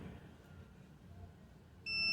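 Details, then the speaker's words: 2007 Chevy Tahoe crank-no-start diagnosis: quiet shop hum, then a steady high-pitched multimeter beep confirming continuity through the engine-block ground wire behind the cam sensor connector, which turned out loose and poorly grounded. "okay so when you touch this with this you get you should hear a beep there's a continuity here okay"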